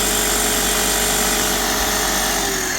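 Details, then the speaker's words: Graco airless sprayer, about 9–10 years old, prime mode: steady fast pump chatter, about four strokes a second, never cycling off; debris holds the valves open so it can't build pressure. "Anyway, it just runs and runs and runs and it won't shut off no matter."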